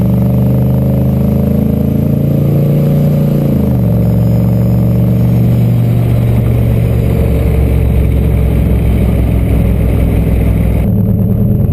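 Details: Turbo LQ4 V8-swapped Ford Ranger, no-start traced not to the MAP sensor but to a DTC code that had been disabled, now fixed: deep, even V8 rumble dropping in pitch on a shift, then pulling steadily under load with no knocking or misfire.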